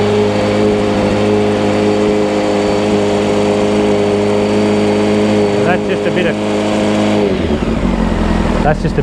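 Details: 1995 Honda CBR600F inline four, warmed up after sitting a very long time, with WD40 added: a clean, even rev with a steady tone, then a smooth drop back; it pulls strong and sounds healthy.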